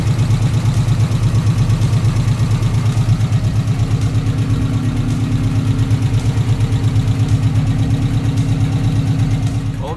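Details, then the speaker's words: 1994 Subaru Legacy 2.2L at a smooth, even idle with no knocks or misses, first successful start after new fuel pump, radiator, thermostat and headers were installed; engine runs cleanly. "there you have it she does run i am so excited to finally get this car running"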